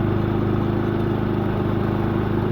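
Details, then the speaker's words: Predator 3500 generator after maintenance, run at high elevation on choke, 12.4 volts: steady, even engine drone with constant low hum, no hunting or surging; running smoothly and much better than before. "12.4 volts okay yeah that sounds really good way better than before"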